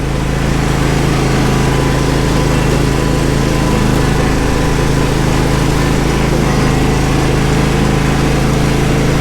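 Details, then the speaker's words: John Deere SST16 zero-turn mower, about 253 hours, which sat 5 years because it would not start: a steady, even high-speed drone at full throttle, running smoothly with no misses, surges or knocks. It is slightly rough at idle, and the owner suspects bad gas. "the angel works smoothly on a full on a full throttle okay actually this is the full throttle it's pretty fast"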